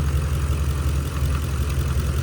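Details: 2011 Ram 1500 5.7 Hemi 4x4 idling on a temporary jumper bypassing the failed fuel pump relay inside the TIPM, after crank-no-start: deep steady low rumble, even beat, no stumbles or dips; normal idle.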